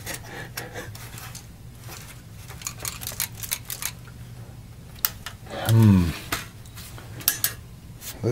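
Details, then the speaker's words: Sony PlayStation 1 (PS1, bought in unknown state, stuck disc door button) being opened: shaking the case gives scattered light plastic clicks and clatter, several broken plastic pieces rattling loose inside near the controller connectors. "is it maybe inside these the controller connectors something in there yes there's something in here that's not all there is no more so here's a piece of plastic that came out of there several pieces of plastic"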